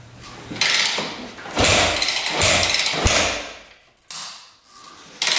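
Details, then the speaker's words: 2001 Yamaha WR250F street-legal dirt bike, just rebuilt after sitting years, kick-started with choke on: five sharp kick strokes, mechanical clatter, no firing; won't start; owner hopes valves seat, spark not yet checked. "no go we got to see if this thing's sparking all right I just assumed this was sparking"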